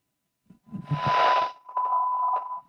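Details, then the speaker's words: Ham radio receiver on bench test with 1 kHz tone signal about 9 dB below −120 dBm: steady tone with crackling, frying hiss taking over as signal weakens, near squelch; weak-signal receiver noise. "You can hear the 1k tone in there, but the frying bacon is taking over."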